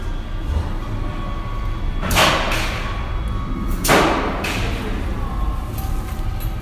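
Two loud airy bursts of brake release a couple of seconds apart under a faint buzzer tone in a large hall; normal dispatch.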